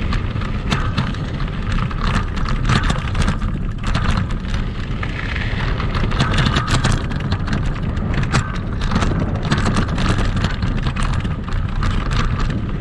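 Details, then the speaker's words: Kugoo Max Speed electric scooter on sandy off-road terrain, camera on the front stem: constant clatter, sharp rattles and knocks on every bump; noise points to the front fork and a squeaking spring shock. "я думаю вы увидели что шумов достаточное количество там практически наверное весь видеоролик слышно как все громыхает дребезжит"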